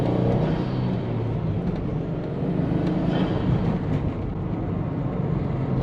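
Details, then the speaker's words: Subaru SG XT Forester after an oil change and fitting the old SF5 intake, driving in rain about 10 km: even engine drone under light road load, no knocks or whines; idling and running a lot better. Normal running. "Alright, she's definitely idling a lot better now. Sounds good."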